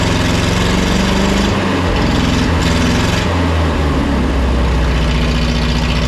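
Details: Neglected forklift: engine speed rises and sags on its own instead of holding a steady idle; throttle keeps accelerating, owner plans a throttle return spring to make it idle.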